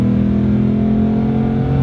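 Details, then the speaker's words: 2008 Ford Mustang Bullitt V8, about 60,000 miles, hood only modification: deep even V8 rumble climbing smoothly under acceleration, no misses, knocks or rattles; healthy engine. "you step on the gas oh man smooth acceleration"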